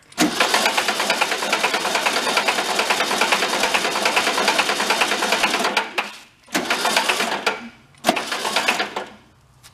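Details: Barn-found circa-1973 VW Karmann Ghia, stored about 31 years, cranked in bursts: rapid uneven clacking about three beats a second, likened to rod knock; cause unknown.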